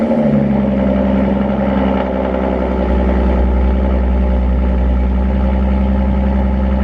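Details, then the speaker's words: Audi S5 with Borla exhaust, resonator delete and aftermarket intake, on cold start. A deep, loud, steady drone at a raised idle with an even beat and no misses; it quiets as it warms up. Normal cold start idle. "But yeah, that's what it sounds like on cold start. It's pretty loud. Then it dies down after it warms up a bit."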